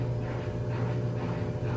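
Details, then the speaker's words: Electrolux LTD11 washing machine, spin test via MAT self-test monitor: drain pump starts then basket spins, steady low motor hum, no grinding or banging; motor, coil, wiring, brake actuator and drain pump all working normally. "amigos ligou a opção de bomba de drenagem e também já já vai começar a rodar Um cesto certo"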